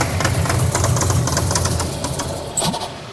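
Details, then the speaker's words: Buick Grand National that sat a long time, oil pressure present, fuel smelling bad: lumpy, uneven low rumble with stumbling beats that sags instead of settling; hard start and won't idle, bad fuel suspected. "Still having the same issues. Hard start conditions. Doesn't want to idle. Lots of issues like that."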